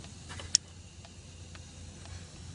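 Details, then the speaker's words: 2003 VW Golf GTI 1.8 L turbo, secondary air injection fault, ignition on, solenoid output test: faint sharp ticks about twice a second from the overboost protection solenoid instead, because its plug was swapped with the secondary air injection solenoid's. "see we hear some ticking disconnected huh funny the second salate over here is the over Bo boost protection salate and apparently somebody misplaced the plugs on the S noise and uh now instead of the secondary air injection s it we have a over boost protection while clicking"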